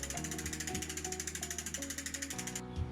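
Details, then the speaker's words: Apollo child's bicycle after indexing the gears and setting the L limit screw to cure a grinding noise: even freewheel ticking and a smooth chain whir as the cranks turn, with no rubbing left. Normal drivetrain. "so that's the the L screw done we've we've done everything correct there there's no more rubbing whatsoever just the usual sort of noise"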